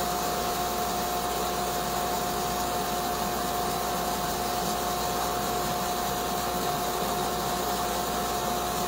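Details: Sandblasting cabinet with gun on glass, nozzle held about 8–10 inches away and parallel to the surface: a steady, even rush of air and grit over a constant fan tone, no sputtering or surging, running normally.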